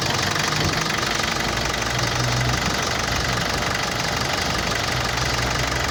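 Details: Mitsubishi L200 Triton common-rail diesel at idle: hard, rapid rattling knock like a bad injector; idle rail pressure far too high (about 116-117 MPa, about 1,200 bar) caused by a faulty injection control module.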